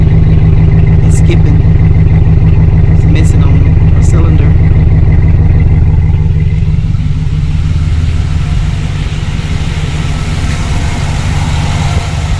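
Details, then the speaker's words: 2008 GMC Sierra with P0300 random misfire code: loud, low idle with uneven, stumbling pulse, a beat dropping out now and then; rough idle with misfire, cause not yet confirmed. "so i'm gonna go ahead and start it up because just like i said i know it's not running right"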